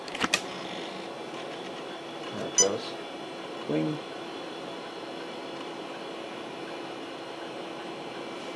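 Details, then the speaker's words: Hard drive in long-stored 486-class Packard Bell PC: steady quiet whir with a few short seek clicks, no scraping or repeated clicking; healthy normal running. "Listen to that drive part like a boss."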